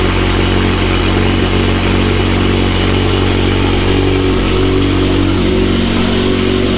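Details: McLaren 720S engine after repair of Time Attack oil-overheating failure, idling after cold start: loud steady low rumble at even pitch, no knocks or misses; stable oil pressure at idle; normal idle.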